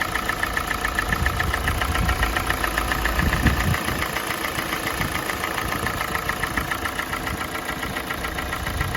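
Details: Kia Sportage 4G 2017, G4NA engine, 265,500 km, idle while warming, exhaust pipe warm: light regular knock a few beats per second, absent at cold start; owner thinks not piston slap, cause unknown.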